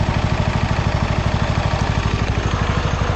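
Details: Abandoned Bolens FS-11 articulating tractor after rewiring, engine running with the battery rising from 12.6 to 12.7 V as the charging wire is connected: steady, even single-cylinder thump at about three beats a second, no misses or knocks. Normal running and charging.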